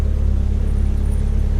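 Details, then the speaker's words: Car started after sitting a long time: steady, even idle with a smooth regular pulse and no knocks or misses; sounds healthy. "It seems to be doing pretty good. She needs a little love for sure, but yeah, she idles, sounds healthy."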